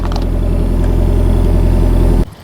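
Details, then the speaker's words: Engine catches and holds a smooth, even idle for a couple of seconds before shutoff, after fitting new plugs and correcting fuel pump wiring that had been reversed; running normally. "There we go. Yeah, I just had the pump in reverse."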